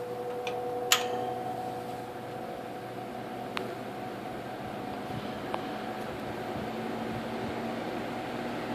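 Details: 1958 General Electric twin window/box fan, found in the trash and restored: a soft, steady airflow rush with a faint constant whistling hum resonating from the bearing-motor winding, plus occasional light ticks. The old fan motor runs normally.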